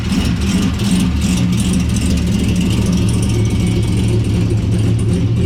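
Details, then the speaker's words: 2006 Corvette C6 LS2 6-speed, Texas Speed 233/239 .600 lift cam on 112, long tube headers, warming up in garage: deep choppy lope with uneven pulses staying steady; normal cammed idle. "for now we're just going to enjoy that texas speed cam it's a 233 239 at 50 600 lift"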